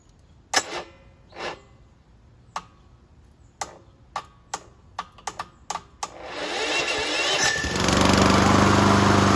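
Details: Subaru EA175V self-propelled push mower, key electric start, after carburetor issues, battery possibly weak: a few loose clicks, then the starter whirs about 1.5 seconds and the engine catches into a steady, even run; starts fine.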